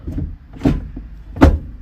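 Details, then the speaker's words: Mk1 Skoda Fabia vRS 1.8T after the gear linkage was adjusted, with the 6-speed kept: two firm clunks over a quiet idle as reverse engages cleanly in the gate; normal reverse engagement. "our reverse also works and we can we know we can feel that's in the gate"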